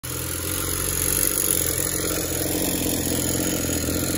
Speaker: rods knocking like crazy listen to this thing i may just listen to this thing it squeaks when you pull it through no compression